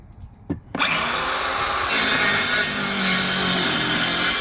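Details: Parkside 20V cordless circular saws PHKSA 20-Li A2 and C4 on 2Ah batteries cutting timber outdoors: quick spin-up, bright steady cutting whine without bogging; normal cutting, newer saw seemed more powerful.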